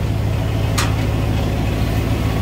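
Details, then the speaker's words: 1993 Ford Bronco running again after sitting a long time, on a hot day with a heat index around 100°F: a smooth, even low idle hum with no misses, knocks or ticks. The engine runs properly. "we got her going got her going gosh she sounds good"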